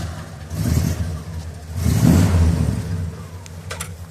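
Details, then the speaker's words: 1966 Buick Skylark convertible, restored, 340 nailhead V8: deep rumble with two clean throttle blips rising and falling smoothly as it is started to drive off, no misfire or knock; healthy engine. "Really sounds good, and it's 340 good nailhead V8, right?"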